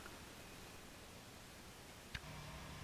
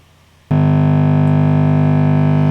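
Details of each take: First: Fender Deluxe Reverb Reissue tube amp just after power-on, customer reports loud hum after half an hour: only quiet normal hiss and faint hum from the speaker; rectifier tube suspected as a possible cause. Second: Fender Deluxe Reverb reissue guitar amp head, about 20 minutes after switch-on: a loud, steady low buzzy hum cuts in suddenly and holds constant; tapping a valve cures it, suggesting a problem with that valve.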